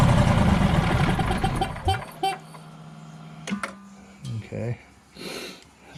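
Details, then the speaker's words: Generac Guardian 16kW standby generator during repair, manual start: the engine catches and roars for under two seconds, then cuts out abruptly. The controller shows a "no RPM sense" error. The owner suspects a commanded shutdown, not a fuel problem or overspeed. "start and then quit but I'm thinking it's being cut off not that it's not getting any fuel but it's being told to shut off"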